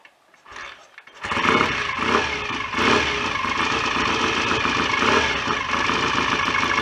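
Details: BSA A65 twin after rebuild, rotor moved on its taper to advance the ignition further; fires after brief cranking, even, lumpy idle with no clatter, oil circulating, no smoke. Normal idle.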